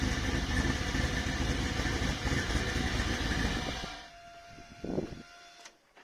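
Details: Volvo 240GLE with turbo LS2 V8, first test start after fuel system pressurized, full single three-inch exhaust with tip, wideband disconnected: steady, even burble for four seconds then clean shutdown; normal idle.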